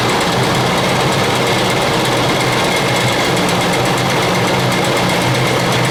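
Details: 2000 Ford Expedition 4.6 V8 at idle in a garage: a fast, steady clicking chatter rides over the engine and doesn't let up; a constant timing chain rattle, before the repair.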